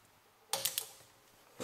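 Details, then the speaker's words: 1988 Yamaha Wavejammer starter solenoid, removed and powered on bench supply: sharp metallic clicks but contacts never close (no continuity), causing the no-start. "you can hear it clicking but is not making Connect contact inside so let's check it out"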